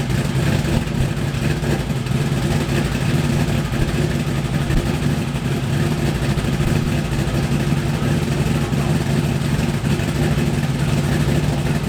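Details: Mazda Miata with LS V8 swap, first start in 7 months after fuel system, injector and intake updates, bigger cam fitted; cold start idling about 1000 rpm (850 target set with previous cam), choppy loping big-cam idle, good oil pressure; normal cold idle.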